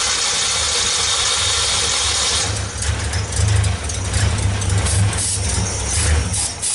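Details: 1964 Ford Econoline van with a 170ci six and points ignition, previously crank-no-start. With the coil resistor bypassed and 12 volts fed straight to the coil, it catches after a rough start and settles into an even, steady idle with no misses.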